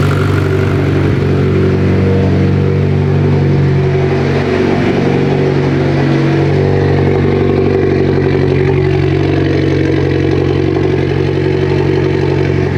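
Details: Mitsubishi Evo 10 just after MIVEC delete cam gear install, oil topped off, solenoid plugged so a code is expected; warming up. A steady, even, deep idle holds thirteen seconds with no misses or knocking; running healthy.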